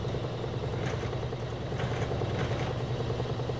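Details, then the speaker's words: Frigidaire washer-dryer model FGX831FS5 with an intermittent no-spin fault, spin test with belt and transmission visible: a steady even rumble with a light rattle and no grinding, spinning up smoothly, a normal spin. "We can see the belt spinning. You can see the transmission spinning. It's going to go faster and faster. Get all the water out."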